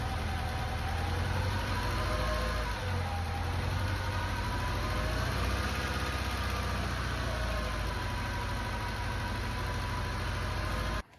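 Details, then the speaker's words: Lancia Delta HF Integrale, first run in over six years after a fuel system overhaul with a new fuel pump, four new injectors and fresh fuel, now warmed up a little: a steady, even, smooth idle drone with no misses; normal warm idle. "now warmed up a little bit and as you can hear it's it's running a lot better"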